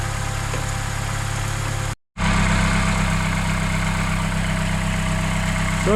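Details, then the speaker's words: Vauxhall Corsa after replacement starter motor fitted, on a freezing day: short crank, quick catch, then a smooth even idle with a steady low hum and no grinding or clicking; starts and runs fine. "starts again sounds good"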